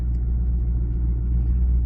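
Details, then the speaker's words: 2014 Chevy SS rear Brembo brakes after GM shim kit install and new copper paste, reversing then picking up speed: steady low rolling rumble with no squeal or scrape; normal, quiet brake operation. "Let's pick up some speed. Now, I'm not hearing anything, guys, so I think we're good."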